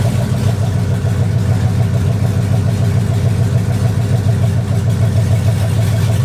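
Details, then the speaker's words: 2004 Dodge Ram Rumble Bee with a 6.1 HEMI V8 swapped in from a 2006 SRT Charger, first start-up, running a little hot; a deep, even V8 rumble at steady speed with no ticks, knocks or misfire. Normal running. "so we got the we got the truck up and running as you can see sounds pretty dang good"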